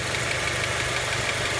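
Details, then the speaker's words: Honda Element fully warm at 92 °C: light, quick valve-type tick from the top of the engine, absent from the bottom, steady with idle; owner suspects valve adjustment or camshaft bearing seats, not confirmed. "Все, мотор полностью прогрелся. Его отчетливо слышно."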